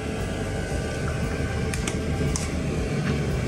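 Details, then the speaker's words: 8 kW 12-volt Chinese diesel heater (cinebasto) to heat a house, with only a very loud, even rush of its spinning blower, a few faint clicks, no knocking or sputter; running normally, no odor, CO2 detector silent. "solo se escucha el ventilador girando muy fuerte muchachos"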